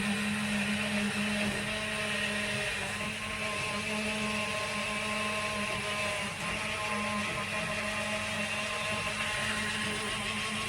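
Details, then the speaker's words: Narrowboat engine bay being bilged out with a new electric bilge pump, needing the override switch on: even, steady whir with a constant low hum, no stumbles or surging; normal bilge pump operation. "Sounds like it's trying to get a bit more out. It's hard to tell if that's working from here."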